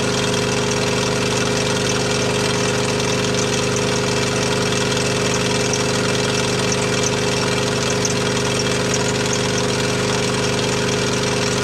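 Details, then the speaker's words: T80 compressor under load, still producing air: steady drone with loose metallic rattle and high-pitched squeak from worn compressor pump. "you can hear the squeaking in the background that's that's the compressor doing that along with most of the rattle in here"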